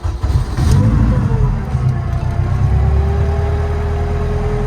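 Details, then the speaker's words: Turbo Honda Civic, after a gearbox change during which fluid seeped out: steady mid-pitched whine from the gearbox over the engine, rising then holding, disappearing when the clutch is pressed. Whine from low transmission fluid. "It makes like a whining sound in the gearbox now. But if I press clutch, it disappears."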